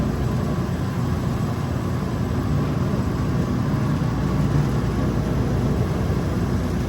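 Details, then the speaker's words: Circulator pump on a Raypak 1753A modulating vertical boiler kicking on after the leaking water flow switch was replaced. A steady, smooth low hum with no rattle or cavitation while the flow switch starts to move; normal. "All right. Pump just kicked on. Let's check our flow."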